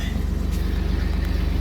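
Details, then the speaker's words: 1999 Chevy S10 4.3L V6 at 236,000 miles, cold start after sitting two weeks, fixed by new distributor cap and rotor after a cold crank/no-start: fires right up to a low, steady, even idle with no skips or knocks. "I'll just show you that it did fix it anyways got 236 000. and see how it goes and she fired right up"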